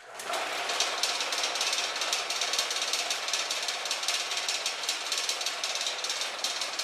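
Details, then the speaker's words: Homemade DIY buffing machine, motor temporarily run from a power strip on an old work table: fast rattle of two or three knocks a second over the motor hiss. Loose table screws need tightening, not the buffer. "now you hear that rattling sound, that's just the table. I've got to tighten a few screws on it, it's pretty old."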